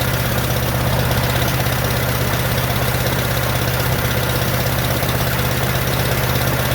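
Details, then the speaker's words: 1947 Farmall M tractor after rebuild: deep, uneven, lumpy idle with missing beats and no power, running on only two of four cylinders with popping from the carburetor. Reversed plug wires were later found to be the cause. "I still can't seem to get it it's only running on my two cylinders that I cannot figure out there's also a lot of popping coming out of the carburetor if you can see it also doesn't have any power because it seems to be running on only two cylinders"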